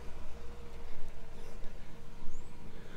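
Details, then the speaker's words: All-original unrebuilt 1965 Chevrolet Impala 327 V8 with Powerglide, tuned up, new brakes: deep low burbling exhaust rumble at idle, steady pulse, quiet, no knocks, ticks or blow-by; healthy idle. "hope you guys can hear the exhaust rumble that's how good this thing sounds"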